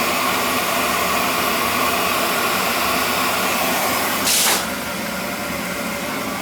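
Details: Basement boiler at 18 psi after refill, relief valve previously blowing above 30 psi due to a bad expansion tank: steady even burner roar with one brief hiss burst, then settling smoothly; running normally.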